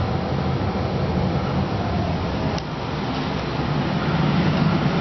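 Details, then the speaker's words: 1997 Rheem RGPH 3-ton furnace blower starting on medium-high speed on a call for cooling; steady loud whoosh of moving air with a low, even hum and no rubbing, squeal or rattle. Normal blower operation, just loud. "That's my Rheem RGPH furnace starting up. Cool. I just actually turned it down and made it come on."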